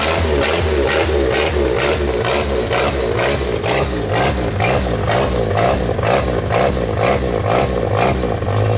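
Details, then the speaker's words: 1992 Genie boom lift, throttle controller fault, test light used as substitute load: engine revs swell and sag about twice a second, never settling; engine speed hunting. "And let's start it up. And it'll do the oscillation, and then let's hook up the test light."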